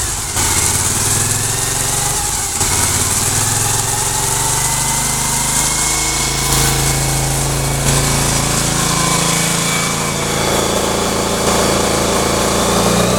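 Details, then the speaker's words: 2003 Suzuki SV1000 V-twin, about 24,000 on the odometer, started for a run-through of the gears: loud lumpy twin beat settling into steady idle with slight rev drift, no banging or knocking. Normal idle. "I didn't hear anything wrong with the motor I didn't hear any banging or anything"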